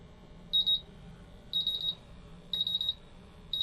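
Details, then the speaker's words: MultiRAE gas detector bump test using a calibration adapter and gas cylinder. Rapid high-pitched beep bursts about once a second as all four tested sensors reach at least low alarm. "What I'm looking for is for all the 4 sensors that are being bump tested to go at least into a low alarm."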